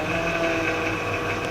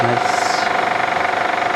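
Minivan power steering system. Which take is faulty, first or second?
first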